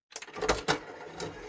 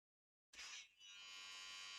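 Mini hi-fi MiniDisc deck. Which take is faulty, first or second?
second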